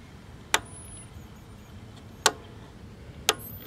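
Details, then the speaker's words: 1970 Sony Trinitron KV1210 colour TV powered up through a 50-watt bulb limiter: three sharp crackles, then a thin rising whistle as the oscillator starts. "oh i hear crackle cracklage and i hear the oscillator starting"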